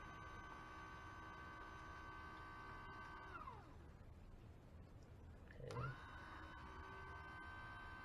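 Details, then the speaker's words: Saturn Ion Redline supercharger intercooler pump run directly through its relay port 30 to bleed it: thin steady pump whine fades then returns with a gurgling surge; air still trapped in the coolant passing through the pump. "I don't know if you can see that, but you can also hear the air, still in the system. It's going through the pump."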